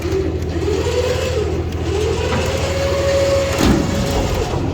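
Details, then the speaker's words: DK2 Warrior Samurai 17,500 lb winch on roll-off trailer, three years' heavy use, pulling in an empty dumpster, truck in neutral: even motor drone rising and settling with load over idle, no grinding; normal operation. "No issues from the winch. We've got the truck in neutral, so it rolls, putting even less stress on it."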